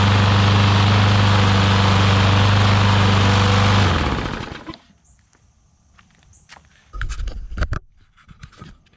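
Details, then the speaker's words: Newer Briggs & Stratton push mower that got water inside, after carb clean, air filter, blade and oil change: smooth, steady engine beat at even speed for about four seconds, then a clean shutdown; normal running. "actually runs incredibly well. So awesome, got that fixed, and we'll get that one put up,"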